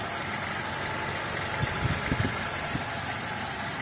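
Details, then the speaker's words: Used car being inspected before purchase, idling steady and even with a soft low hum and no ticking or knocking; example of a smooth-sounding engine. "Nah, apakah suara mesinnya halus atau enggak? Ini salah satu contoh mobil yang suaranya halus, nggak ngelitik."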